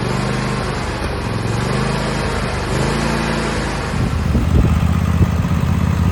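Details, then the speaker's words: Husqvarna GT 54CS garden tractor after maintenance (plugs, filters, 10W30 oil), driven on the property: engine pulling steadily, note rising a little under load, no misses or knocks; normal running before later no-start. "So after a couple weeks of using her throughout the property, did great, solid."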